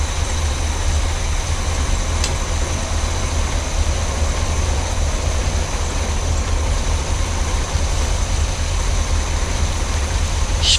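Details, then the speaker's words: Chevy C30 squarebody with utility bed, 350 V8 with dual exhaust, revived after years abandoned: idles smooth, even and very quiet with a low rumble, no knocks or misses; normal idle. "runs she's so quiet wow"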